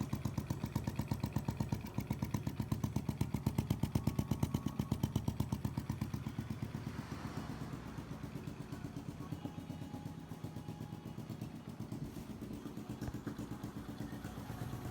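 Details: Honda Biz 125 scooter, which also smokes: single-cylinder idle with a loose, uneven clatter on the firing beat, about two per second; abnormal internal engine noise, cause unknown.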